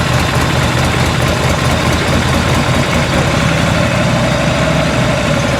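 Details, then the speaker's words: 1986 Harley-Davidson Liberty Edition Electra Glide Classic V-twin, revived after sitting 10 years, idling right after ignition timing was set: loud, even, lumpy beat with no knocks or misses, sounding good. Normal idle. "That sounded good. That sounded actually good."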